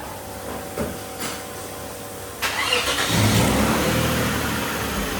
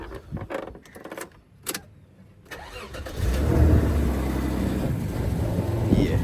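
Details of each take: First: Toyota Mark X after misfire repair (a disconnected pipe refitted): cranks and catches after a couple of seconds, then settles to an even steady idle with no stumble or miss; misfire fixed. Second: Toyota Mark X, hot from sitting in the sun, misfiring since fitting work after a compression test. It cranks, catches, then idles with an uneven puttering pulse about three times a second; the engine is sucking air, a misfire from a vacuum leak.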